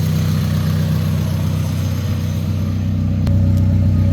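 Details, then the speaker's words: Honda Civic exhaust at idle after welding the leak hole, center section and crush gasket good, new hanger fitted; steady low drone with even pulse, no puffing or ticking; no exhaust leak. "I don't hear that. That spot is well the center over there is good. The crush gasket is good."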